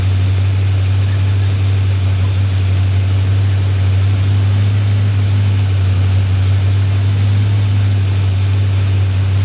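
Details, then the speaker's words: Rebuilt Chevy 283 V8, Sunday morning cold start with the fan on, tuning still needed; deep steady exhaust drone, even beat, no knocks or ticks; runs okay, normal running. "let's do a Sunday morning cold start still need to find tuning but it runs runs okay I think"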